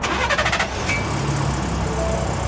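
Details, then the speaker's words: Ford Raptor on a cold start: a quick rapid rattle as the engine catches, then idle, louder after a small rev and release. This is the turbo wastegate actuator linkage rattling. "Okay, so that's your turbo actuator."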